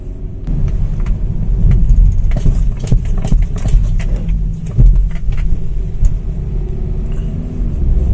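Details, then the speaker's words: BMW X1 on road, front suspension noise: dull tuk-tuk knocks through steady road rumble when the brakes are tapped; mechanic suspects worn front control arm bushings. "Mas na hora que eu dou uma cutucadinha no freio, a gente percebe que ela bate, tá? Ela faz um tuk-tuk, né?"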